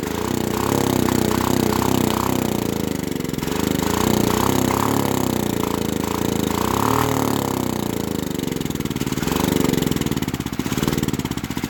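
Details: Auction generator's small single-cylinder engine, left sitting for months, starts but runs only on starting fluid. It putters unevenly, surges and hunts as if starved of fuel, with lots of smoke.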